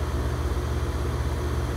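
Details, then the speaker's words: 5-ton residential packaged heat pump in heating mode, drawing about 21.4 A after a thermostat jumper wire was added: even, low steady hum with no knocks, rattles or squeal; normal heat pump operation. "anyway i added a jumper wire and now it's working so you can hear it run it's in heat pump mode"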